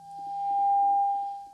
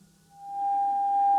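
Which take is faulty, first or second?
first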